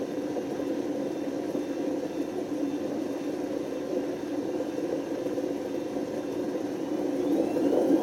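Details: Washing machine spinning with a steady grinding whir from the drum that swells louder as spin speed rises; badly worn drum bearings, run so long they damaged the spider and excessively wore the motor.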